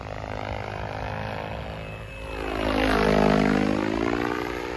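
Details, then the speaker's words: XLPower Specter V2 RC helicopter with an Egodrift 4525HS 550KV motor and YGE 135HVT ESC in flight: rotor whine swoops up in pitch and settles back only slowly. The governor is sluggish to recover from overspeeds; the ESC needs adjustment. "yeah it really takes a while to get over those overspeeds"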